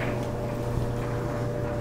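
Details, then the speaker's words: Frigidaire Gallery dryer after drive belt replacement, test run: steady even hum, constant motor tone, no thumps, squeals or scraping; drum confirmed spinning with door opened. Normal drum rotation. "it certainly sounds like it's spinning um let's open the door see if it continues to spin after I open the door just to make sure that it is the drum is actually spinning"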